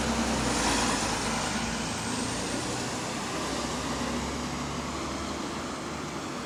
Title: GAL WVL464 Rocking it's Exhaust Leak